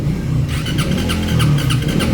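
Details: Motorcycle cranks but won't start: starter spins the engine at a steady cranking beat with a whirring whine, never catching. Checks showed one spark plug firing erratically and strong ignition current; fuel/injector check next. Cause not confirmed.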